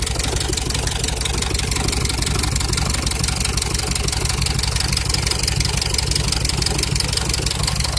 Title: Cummins стук в двигателе